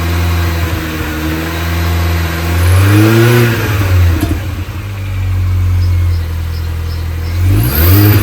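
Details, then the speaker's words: 2005 Mini Cooper S R53 supercharged: odd droning whir after each throttle lift-off as revs rise and fall, with lack of power; persists after timing chain, supercharger service, intake gaskets and catalytic converter removal. Cause still unknown. "still doing it so there's now all the intake gaskets and everything have been changed the timing's been changed the cat's been taken out of the system that's uh I thought it's blocked but"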